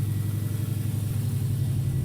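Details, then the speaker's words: 1994 Subaru Legacy Turbo Touring Wagon after TD05H 16G turbo upgrade, coil-over-plug conversion, 07 STI PCV upgrade and a harness fault fix: low, even rumble idling steadily with no knocks, misses or surges; coolant not yet bled. "But now, go in here, start her up. Running really good now. New turbos all in there. Everything's hooked up."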